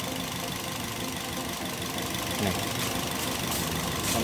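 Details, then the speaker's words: Toyota Yaris (Bakpao) four-cylinder at idle with the coil bolts removed to test coils one by one: stumbling, uneven shaky beat and visible engine vibration. Misfire and rough idle from a weak or dead ignition coil. "Setelah itu kita Nyalakan mesinnya teman-teman kita lihat Bagaimana Apakah betul pincang [Musik] terlihat goncangan ya teman-teman itu terlihat bergetar"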